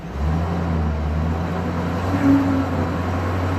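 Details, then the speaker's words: 2001 Chevrolet Silverado after a repair for stuttering and stalling, with P0300 cleared, brake-torqued to load it: steady, even low drone with no stumble; scanner counts a few minor misfires, nothing significant; normal running under load. "See under load if it's picking anything up. Yeah, I do have a few little misfires in there. but nothing significant."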